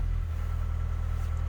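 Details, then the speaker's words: K-series engine starting after the car sat for about a week: catches and settles into a smooth, even low idle with no tappety ticking or misses; healthy. "there's the engine on and it sounds about as good as you could get a k series 2 sound"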